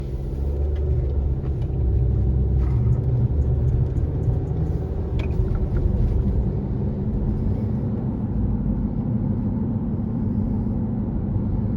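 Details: 2018 Honda CR-V with a loud steady hum over road rumble while cruising, worst at 25–50 mph and present since new; dealers could not replicate it, no noise with front wheels lifted; owner suspects hub assembly or tires.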